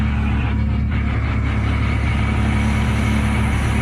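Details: Classic SEAT 132 with contact-point ignition, revived after 14 years stored, after cleaning badly worn points: loud, steady, even run, deep low drone, no misses or knocks; ignition firing cleanly, normal running.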